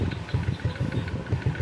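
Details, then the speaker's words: Honda RS XRM 125 after a tune-up with valve clearance adjustment: small single at an even steady idle, about eight beats a second, with the previous valve tapping gone. "Panalo. Nawala na yung lagutok."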